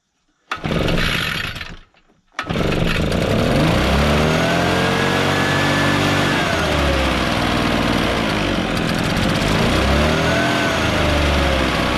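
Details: Echo PB650 two-stroke backpack blower, barn find unused several years, old gas drained and refilled with fresh gas; brief pull, catches, then strong steady roar rising cleanly with throttle, blowing gravel; runs well.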